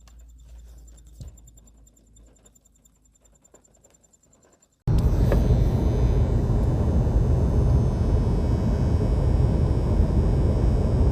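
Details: BMW G30 in the cabin: quiet interior suddenly filled by a loud, low, steady whirring buzz that starts randomly and drones without letup.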